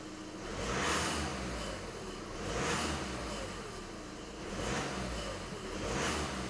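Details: 2012 VW Passat at idle with timing belt suspected for the noise: rough whooshing swells and fades about every two seconds from the drive belt area, AC not engaging; drive belt removal found the AC compressor seized and broken.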